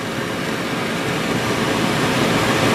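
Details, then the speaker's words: 1968 MGC heater blower fan motor, refurbished and reinstalled: smooth, even whir with a faint steady tone, fan spinning freely with no scraping or rubbing. "Okay, with the fan installed and mounted and turned on, you can hear there's no"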